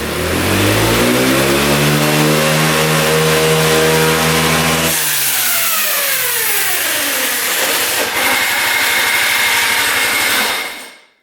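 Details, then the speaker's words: Free scooter engine after carb repair, revving out: revs cleanly and climbs, then suddenly collapses into a rough rattling clatter; kickstart mechanism broke apart inside, loose kickstart parts. "Did the kickstart mechanism break off or something? Oh yeah, look at that. Something broke apart in there."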